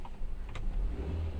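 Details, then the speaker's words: Tata Zest petrol after replacing a faulty cord set that caused misfire and stalling: short steady even engine note, smooth low hum, no stumbles or popping; no fault codes, running normally. "तो फ्रेंड्स अपना miss fire का problem solve हो गए।"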